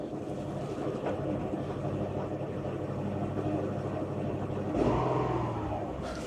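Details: 2008 Subaru Impreza bought for parts, first start after programming a new key: idles slightly uneven and lumpy with a faint exhaust wobble; otherwise sounds mostly all right, some tailpipe smoke not smelling of oil or coolant, possible catalytic converter rattle.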